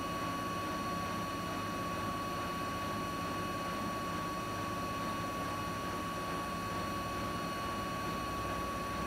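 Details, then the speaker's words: Siemens iQ300 8 kg washing machine at full spin, about 1000 rpm, loaded with wet laundry: steady even whirring with a constant high hum, no knocking, rumbling or grinding; no fault, normal spin. "Makinemiz şu an ortalama 1000 devirde sıkma yapıyor arkadaşlar. Bu makinede hiçbir şekilde herhangi bir sorun veya arıza yok."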